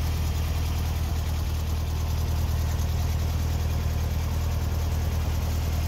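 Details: 1964 VW Beetle, 64K original miles, air-cooled flat-four with electric choke that kicks on cold and drops off as it warms: even low steady putter, no knocks or misses. Normal idle.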